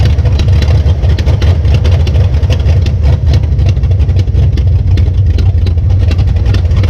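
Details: 1966 Belvedere V8 after swapping a flooding cheap Quadrajet for a rebuilt used Edelbrock carburetor: deep, steady idle with even pulses, no stumbling, bogging or flooding; normal idle.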